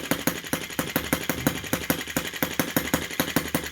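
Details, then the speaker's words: Brass half-tracked Lanz-type model tractor, petrol engine, very first start via drill starter: slow, even putt-putt at roughly two and a half beats a second, steady and clean; healthy low-speed idle. "So I can feel the air. I can feel the wind coming out of this. I love that sound. I'm pretty happy with that already."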